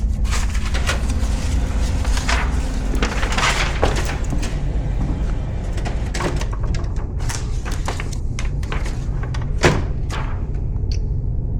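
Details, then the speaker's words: HP Color LaserJet E67660 after replacing a crooked, incorrectly installed Tray 2 roller assembly that caused rattling/clicking and jams: usual feed clunks and paper movement, no rattling, printing normally. "No more rattling."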